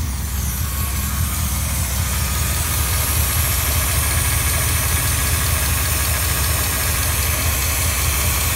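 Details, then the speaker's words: 2001 Dodge Dakota 4.7L V8 with 176K miles idling with a constant airy hiss under the hood from leaking left front lower intake gaskets, plus a leaking intake vacuum hose; it hisses briefly after shutdown, fixed by replacing the gaskets. "that's pretty obvious when you walk up you can hear hear that hissing pretty good"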